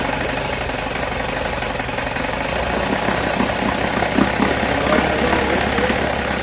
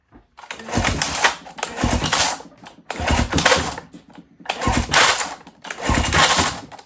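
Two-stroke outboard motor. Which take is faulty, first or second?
second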